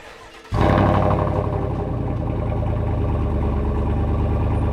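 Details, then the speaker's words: 2020 Chevy Trail Boss 5.3 V8 with cam and muffler delete, cold start: fires quickly into a loud, deep, slightly uneven burble settling into a fast cold idle, with no knocking and little cam chop while cold. "Right now, you can't really hear it chop because it's a cold start, but just for a freaking muffler delete, it sounds like an angry AMG."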